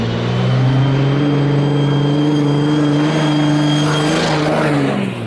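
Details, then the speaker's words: 2004.5 Ram 3500 5.9 Cummins: loud, steady high-pitched turbo scream over the diesel rumble; a boost leak is suspected, nothing obvious found yet, and a boost leak test is planned; possible turbo whine from boost leak. "okay and the thing screams like it screams in a bad way here's an example"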